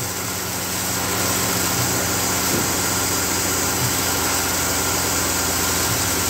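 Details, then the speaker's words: 2003 Dodge Dakota after replacing a failed, shrapnel-shedding AC clutch, before switching the AC on: steady, even idle with a smooth low hum and no knocks or ticks; nice and quiet, engine healthy. "So what we're gonna do now is start the thing up and make sure it's charging and that it's nice and quiet. And then we'll put the rest of this stuff back together. Nice and quiet."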